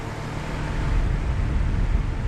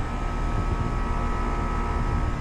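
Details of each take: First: 2020 Bryant Preferred Series downstairs air conditioner on a 103°F day: only the steady whoosh of the outdoor fan with no compressor hum and a hot suction line; owner suspected a bad capacitor, which the tech then replaced. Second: 2020 Bryant Preferred Series outdoor AC unit running normally with a steady low hum and whirr, compressor on, after a tech replaced a bad capacitor; it had run without the compressor; 103°F sunny day.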